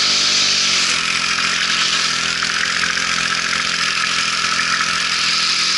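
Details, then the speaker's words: Weed eater two-stroke running: high buzzy drone with uneven, ragged firing and popping, weak and bogged, with loss of power; a loose piece can be heard bouncing inside the shaft. Cause suspected, not confirmed. "you kind of hear it popping and all that stuff so we're so I don't like that"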